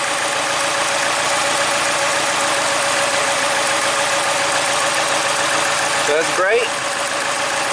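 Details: 2010 Mini Cooper, 100,000 miles, after head and timing chain replacement: rough idle with an irregular stumble like one cylinder dropping out; dead-cylinder misfire, and injector three shows power but no pulse.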